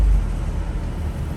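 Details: 2006-2011 Civic Si FA5 on the road after new wheel bearings, hubs, brakes, rotors and a fixed caliper pin: smooth low road rumble with no growl, hum or grinding changing with speed; bearings sound healthy.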